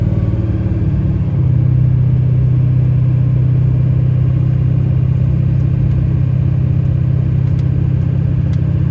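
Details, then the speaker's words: 2006 Chevy Silverado 3500 4x4, 6.6 Duramax diesel, 25k miles, test drive uphill under load: drone rising evenly with no flare or slip between gears; smooth transmission shifts, no hesitation or slippage. "We're gonna take off and head up the hill here so you can hear how smooth this transmission shifts. There's absolutely no hesitation, slippage, or anything of that sort."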